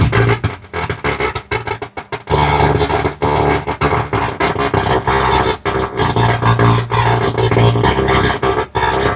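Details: Stranger PBT 800 mono amplifier under repair: steady low mains hum under the music, swelling through loud passages; hum over audio, cause not yet found, suspected, not confirmed.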